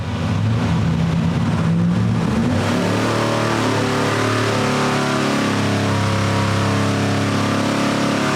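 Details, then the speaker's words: Steady heavy V8 roar under full dyno load that sags and roughens partway through the pull on an engine with new spark plugs running rich; suspected cause is not enough ignition timing, not confirmed. "That's really slowing it down. And it did hit this point right up here. And you did you hear it? I think it's um if I had to actually guess, I'd say it's probably doesn't have enough timing in it to run."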